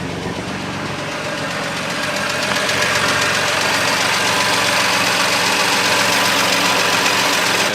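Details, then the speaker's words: BMW M2 Competition salvage rebuild, running with no coolant in system: light fast ticking rattle about 3–4 per second over idle from top end; MMI shows oil level okay, cause unconfirmed. "as a lot of you said in the last video as well and I agree it was a bit rattly top end"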